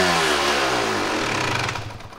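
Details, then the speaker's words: 1998 Kawasaki KX250 two-stroke with rebuilt top and bottom end: screams at high revs with throttle fully closed, then slowly winds down, also diesels after kill switch; high idle, suspected air leak possibly through crankshaft seals. "that was at idle woo yeah I told you it's was bad for it to run it got that high with zero throttle opening it has to be air leak pulling air from somewhere"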